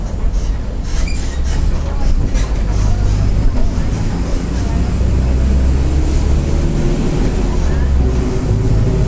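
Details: 2007 Mercedes-Benz OF-1722M bus with Marcopolo Torino body, Grande Londrina fleet 1110, line 505, Feb 2023; deep steady low roar rising and falling with road speed over engine drone, loud worn differential.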